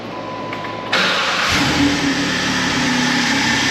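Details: 2010 Jeep Wrangler JK 3.8 L after starter replacement: half a second of quick, even cranking, then engine catches cleanly and settles into a steady, smooth idle; normal start.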